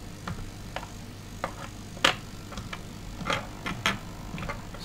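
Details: Robot arm servo being tested and centered, possibly a continuous-rotation type: sharp, uneven ticks about every half second over a faint motor hum. One servo is chattering, cause not yet clear.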